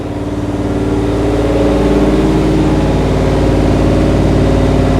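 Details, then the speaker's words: Freshly built low-compression 440 V8 (9.3:1 flat-top pistons) for a 1970 Challenger, on the dyno: even, steady drone with a smooth pulse and no knocks or ticks; no vibrations or leaks, timing still to be set; normal running. "I got no vibrations no water leaks no oil leaks timing will have to be set up again right now and I hear no noises in the engine sounds good"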